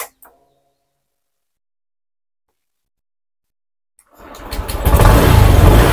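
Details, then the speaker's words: Honda Beat injection scooter with a new battery, starter working intermittently: brief starter whirr, then it catches and idles steadily after cleaning rusty starter relay contacts. Normal electric start after fix. "Jadi kita bersin aja dia jadi normal lagi"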